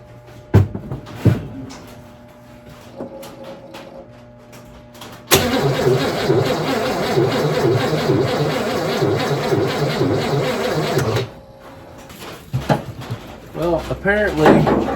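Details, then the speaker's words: 1960 Cadillac Series 62 stored inside, being revived after sitting; on battery charger boost with starting fluid, engine cranks steadily about six seconds without firing; no spark suspected, possibly corroded points in distributor, unconfirmed. "we're not getting any spark it doesn't act like there any fire"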